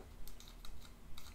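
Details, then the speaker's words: SMOK X-Pro M50 50 W variable-wattage box mod (18650 battery): quiet, light clicking rattle in short bursts when shaken, from slightly loose plus and minus buttons rather than anything inside. "I don't know if you can hear that hear that rattling so that's these plus and minus buttons they they're just a little bit loose"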